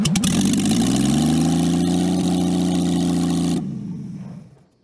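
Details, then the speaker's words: Jaguar XK6 engine in homemade aluminum boat-tail speedster, after tuning to run smoothly: smooth, even six-cylinder idle holding steady without a miss for several seconds, then shut off; runs clean. "and you'll hear for yourself in a minute here just how good this jaguar xk6 sounds once it's idling"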